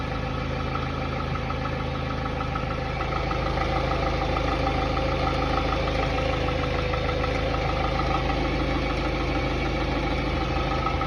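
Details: Hyundai Tiburon 2.0 MPI G4GC (143 hp) at cold idle: light, steady tapping about three per second over the engine note that disappears once warm; the owner suspects piston slap, not confirmed.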